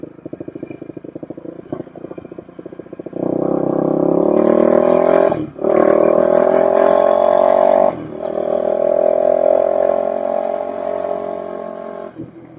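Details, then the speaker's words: 2007 Suzuki LTR450 quad after fuel filter removed, test ride down the road: single-cylinder thump picks up cleanly from idle and holds a steady rising note, taking throttle without stumble; normal running. "We did get our goal accomplished. I did want to be able to just get this thing moving, taking throttle as it should."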